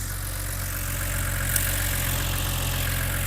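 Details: BMW E89 Z4 3.0 N52 straight-six (40,000 miles) warm idle after a stuck timing chain tensioner was replaced; no leak found at the new tensioner. Smooth, even low hum with no ticking, rattles or misfire; healthy.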